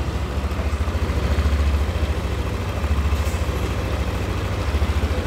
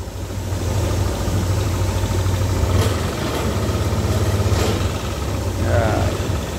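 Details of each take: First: Yamaha All New NMAX 155 VVA scooter, idle after valve clearance check and adjustment that cured a rough engine noise on pull-away; steady, even low putter with no tapping, smooth and back to standard spec. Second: Yamaha All New NMAX 155 VVA scooter running with a coarse uneven low rumble, felt on first pull-away and when closing the throttle; rough-running engine, cause under inspection.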